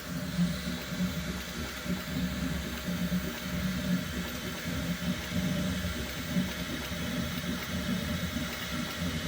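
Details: Bambu Lab X1 Carbon 3D printer makes a strange noise during the first layer each time the bed moves up and down for Z-hop: short humming motor bursts over a low rumble; abnormal Z-hop noise.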